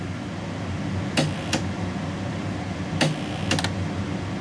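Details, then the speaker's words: Thrift-store vintage GE AM/FM 8-track stereo: tape inserted, a few sharp irregular clicks over faint hum but no motor whir; head mechanism gummed up and tape ribbon wrapped around capstan shaft preventing operation, later fixed by oiling. "it's not even running so we got to see what's going on with that the motor's dead I don't even hear the motor running"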